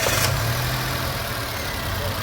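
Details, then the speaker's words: Nissan Micra three-cylinder petrol, which had been misfiring, idling high at 1100–1200 rpm and using too much fuel, after replacing the faulty ignition coil on cylinder 1: a steady, even idle with no misfire. "से कोई miss नहीं दिखा रही है पहले से भी नहीं दिखा रही थी अब पूरा शांत हो ग गाड़ी पीछे"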